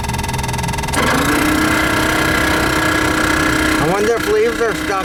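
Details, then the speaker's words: 1988 Chevy G20 van AC blower motor: steady fan whine with warbling bird-like chirps rising and falling; blower motor probably getting ready to fail, suspected not confirmed. "the blower that sounds like a bird the motor is probably getting ready to go"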